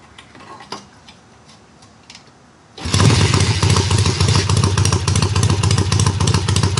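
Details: Triumph hardtail, first runs after the engine sat on a workbench almost a year, fired on the second or third kick; clutch not yet disengaging fully: loud, steady, even beat near three a second, runs really good; normal running.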